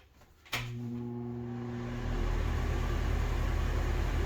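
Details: Cheap NuTone bathroom exhaust fan after its blades and grill were cleaned and rinsed: it clicks on, then settles into a steady low hum with a fast vibrating flutter. It is still noisy, and the cause is suspected, not confirmed.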